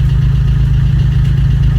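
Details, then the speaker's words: Vauxhall Corsa D 1.3 diesel idling just after starting, following number 2 injector replacement and coding (after ECU water damage and EEPROM swap): steady low regular chatter with no misfire; normal idle. "lovely sounds good as well excellent norville misfiring excellent"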